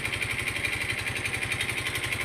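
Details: Yamaha Mio i 125 scooter run dry of oil from skipped oil changes, engine lacking power: rapid even knocking about twelve per second over a buzzy idle; oil-starvation engine knock before repair.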